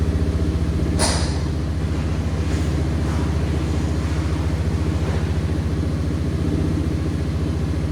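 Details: 1989 Yamaha Moto4 200cc quad after new timing chain, refitted with old carburetor and old throttle cable: steady even single-cylinder thump at fast idle, no misses or knocks; runs clean and smooth.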